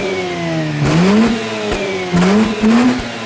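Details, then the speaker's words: Mazda RX8 2.6 L-rated rotary, 5-speed manual, standard exhaust, engine warm: smooth quick revs climbing and dropping back cleanly twice, no knocks or misfires; normal free revving. "So even though it's a standard exhaust, let's give a few revs so you know what it sounds like."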